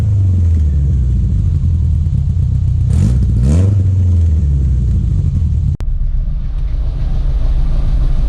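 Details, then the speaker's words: Datsun 1200 ute, newly installed dual Weber DCOE carburetors, not yet adjusted: steady deep idle then one quick clean throttle blip rising and falling smoothly; running well. "So let's kick her in the guts, as they say. See what happens. Let's listen to her gurgle. Damn, that good."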